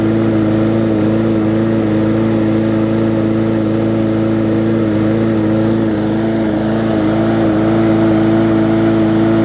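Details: Bolens push mower with a Briggs & Stratton engine (classic or newer OHV), restarted after refitting the air filter following no-start repair. Runs at a steady governed speed with a clean, even tone, no sputter, surging or knocking; running normally.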